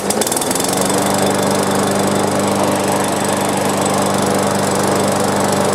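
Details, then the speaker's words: Free push lawn mower, small single-cylinder, after basic maintenance, loose new spark plug checked and gapped: fires quickly, steady even high-pitched drone without surging; running normally. "all right that did it just need some cleaning up"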